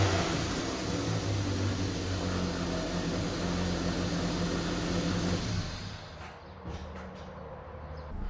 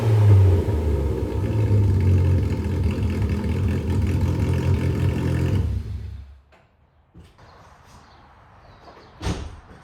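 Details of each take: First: AWD Toyota Matrix after fitting a custom-built 2.5" exhaust without secondary cat and resonator: even, mellow low drone at idle, no rasp or leak puffing; pretty quiet, slightly louder than stock, normal exhaust note. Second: AWD Toyota Matrix: loud, deep raspy rumble swelling as revs climb, then dropping off; straight-piped exhaust.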